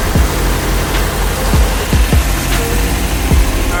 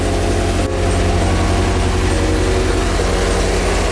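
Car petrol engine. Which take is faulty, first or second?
first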